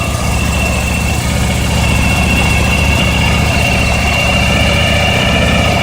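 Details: ST1100 motorcycle idling with a steady, loose metallic rattle over the low engine beat, even throughout; rattle of unknown origin.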